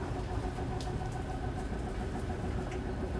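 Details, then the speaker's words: 2022 Zinger 270BH travel trailer slide-out extending on the hold switch: a steady low electric motor drone with an even gear hum, no grinding or strain yet. Normal slide-out motor operation; a grinding noise at full extension is expected. "so when this fully extends it's going to sound a little scary uh just because it's the motor reaching its limit so it's going to sound like a gear grinding noise but as soon as you hear that just go ahead and let go it's not going to hurt anything"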